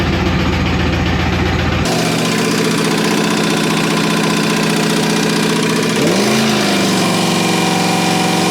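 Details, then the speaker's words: Camaro/Firebird LT1 V8 run deliberately with no oil and no cooling, past 5–8 minutes, temperature climbing. Loud high idle with a hard metallic rap, revs sagging and slowing, shaking the floor. Oil-starved knock and overheating. "Temperature is getting hot. Getting hot. It might overheat before it seizes up. Oh, it's it's slowing. It's slowing down for sure."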